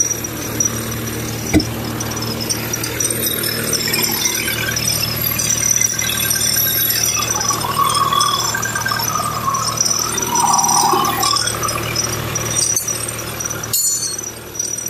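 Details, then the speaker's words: Diesel truck with a stored fault code: harsh uneven high-pitched rattle with a squealing edge over the steady diesel drone; mechanic suspects the high-pressure fuel pump is failing, not confirmed. "But I already know I can hear that high pitch rattle noise. I know that [ __ ] is going to be some something to do with the uh high pressure fuel pump."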